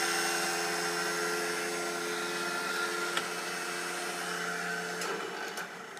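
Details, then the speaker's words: Craftsman 15.5 mower that shut off while mowing and won't start: steady high whir at constant pitch for several seconds, then fading, with no engine catch. Heard when the battery charger is connected; the key has no effect. Cause unknown. "I was mowing with it running just fine and it shut off but that sound that you just heard was going in the key doesn't seem to have an effect on it"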